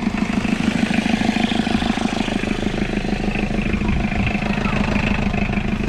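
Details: Isuzu P'up turbo diesel four-cylinder mini truck, first run after sitting 28 years: steady, even diesel clatter at idle with regular firing pulses and no misses; it runs smoothly and healthy.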